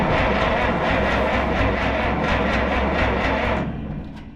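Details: 1962 Minneapolis Moline G704 propane tractor, not run for years, spark confirmed, hint of fuel: steady starter cranking about two and a half turns a second, never firing, then stops; crank, no start.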